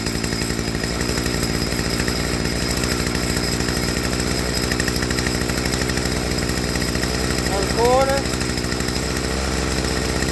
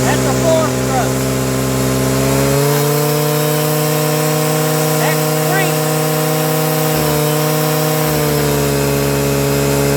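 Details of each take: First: Stihl FS55R trimmer after HIPA carburetor swap, tuning low-speed screw: steady two-stroke idle buzz, then pitch drops as the mixture is leaned too far; turned back until idle picks up smooth. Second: Stihl FS55R trimmer after carburetor swap, high-speed screw turned back out from lean die-off: steady high wide-open wail with faint burble, slight four-stroking at no-load wide open throttle, the correct rich-side high-speed setting.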